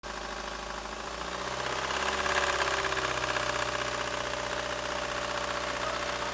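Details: 1999 Ford Focus 1.6i Zetec at idle with a harsh, clattery knock about four per second, sounding like a diesel; source unknown.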